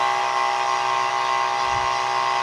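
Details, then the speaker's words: Unloaded DC 12 V high-pressure booster pump with a bigger motor, measured on a sound level meter at about 97 dB: loud, steady high buzz with a firm whining tone and no low end; runs normally, louder without load than with load. "97ang dia lebih kencang ya karena motornya juga lebih gede"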